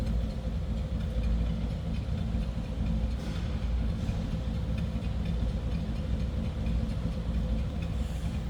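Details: 1961 Chevrolet Impala SS with 348 V8, about 42,331 believed-original miles: deep, even V8 burble at idle with a steady beat and no ticking or knocking, a healthy-sounding engine.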